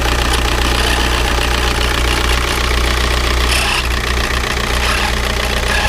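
Loud diesel idle with a heavy irregular knock running about two or three times a second throughout; something is wrong, cause unclear.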